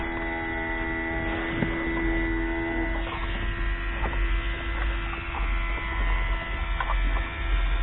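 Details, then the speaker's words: Mercedes W463 G-Wagon multicontour seat air pump hums steadily without cycling off, key on; two seat air lines disconnected so it senses constant pressure loss in the seats and keeps running. "okay because these two are unhooked it's just sensing a constant loss of pressure in the seats"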